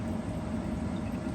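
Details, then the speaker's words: Home HVAC furnace blower running after resetting the sub-panel breakers, following a no-power thermostat fault: a smooth, steady low whoosh with no rattles, squeals or surging, and a solid status light; working normally. "So finally, it is up and running. And here again, we got a solid light and the blower's working great."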